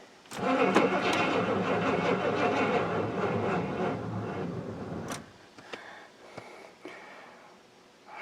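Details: Auction-bought square-body 3/4-ton 4WD Suburban, long off the road, trying a third battery after dead ones: sluggish cranking at three to four turns a second for five seconds, never catches. Weak batteries are suspected.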